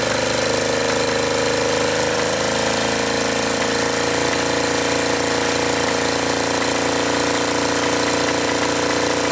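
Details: Acme Motori ADX 740 twin diesel, unrun over 10 years, after new fuel filter and reinstalled injector pumps, injectors and linkage; loud rough flat-out clatter, no speed change, runaway at full throttle, throttle not working, linkage suspected.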